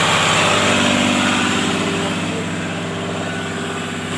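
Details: Caterpillar 320D excavator, C6.4 diesel, after injectors replaced to cure hard starting: steady idle with a firm, even pulse of about four beats a second, no misses or knocks; sounds healthy.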